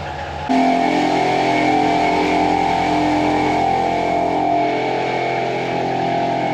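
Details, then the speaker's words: 2017 Ram 1500 (4th gen) with a faulty air suspension: compressor kicks on to refill the system with a steady but rough, buzzy hum. It sounds worn and the owner plans to replace it; a system leak, suspected at O-rings, is the suspected fault. "it's trying to fill the system right now it be that simple fix the leak and the compressor's happy I mean it's not happy it sounds like crap I definitely am going to replace it anyways"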